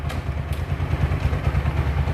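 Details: TVS Apache RTR 4V single after engine-noise repair work (piston ring setting covered): steady, even low idle thump with light top-end clatter and no obvious knock; normal idle.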